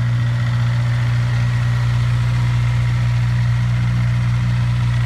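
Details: Honda S2000 at idle: steady dull knock about three per second riding on the firing pulses, suspected piston slap in cylinder 4; cause uncertain.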